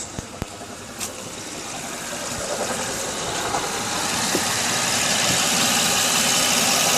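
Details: 2006 Honda Odyssey V6 at idle: steady tick-knock about three to four beats per second over hissy background; persists after replacing water pump, timing belt, tensioner, pulleys and power steering pump; source not identified.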